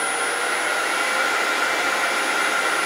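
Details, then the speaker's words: Grizzly G0800 wood lathe turned all the way up to 1017 rpm: smooth, quiet, even hum with a faint steady whine and no knocks or rattles; normal running at speed. "1017 rpm and it's pretty quiet you could probably work without any headphones or had ear protection"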